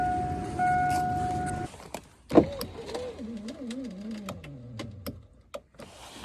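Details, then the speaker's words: 2002 GMC Sierra Z71 SLT driver's door: power window motor whirs steadily under two seconds with no glass movement, glass loose; broken window regulator. "hear it running but it's not moving the window and i cannot lift up or push down on the glass"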